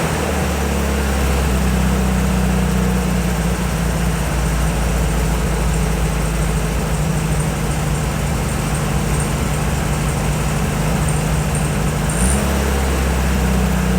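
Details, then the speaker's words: 1968 VW Beetle air-cooled flat-four with point ignition, idling during a tune-up: low throbbing, slightly uneven rumble almost like a misfire, the typical VW sound, which the owner attributes mainly to the muffler; normal. "That sound that these VWs make, it sounds almost like a misfire. You know, that little rumble with engine. It, you know, basically makes them sound like a VW."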